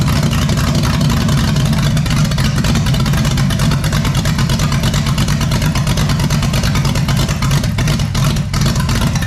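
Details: Freshly built 454 big-block Chevy for a 1972 Camaro. It holds a loud, fast, busy idle that won't come down; smoke was seen near cylinder 8. The owner is unsure whether it's too rich or too lean, and someone suggests changing the cam.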